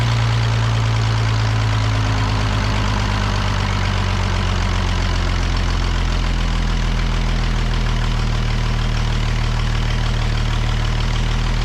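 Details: The Rockabilly Rat, an old engine, idles after spark and timing work with a deep, steady low rumble holding one speed for ten-odd seconds; no stumble or cut-outs, running evenly.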